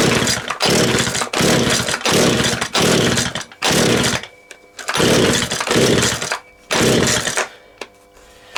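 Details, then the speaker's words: Husqvarna 236 chainsaw, running after reassembly (previous owner disassembled it when the chain jammed in a log), clutch cover still missing; crisp repeated revs rising and falling cleanly, quick throttle response, tinny little dirt-bike sound; normal running. "Sounds bloody nice. That sounded really nice. Sounded like a little dirt bike, didn't it?"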